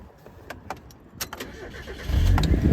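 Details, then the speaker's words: Mazda Miata after engine repair; an earlier start smoked and made a weird sound, attributed to oil not yet reaching the top. Quiet start catching at about two seconds, then a steady, even idle with no knocking or ticking; healthy and no longer smoking. "There are no problems at all It seems that it's going normally too It's very happy"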